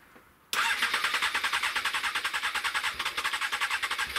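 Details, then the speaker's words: Honda CBR 600 fuel-injected engine, airbox off, cleaned, started with carburetor-cleaner spray; cranks and catches at once, then fast, slightly uneven pulsing run, fuel not yet getting through. "i'm going to see whether it will start on its own steam now it's all clean um there is a lot of carburetor cleaner around so yeah let's give it a little spray let's make sure that it starts up"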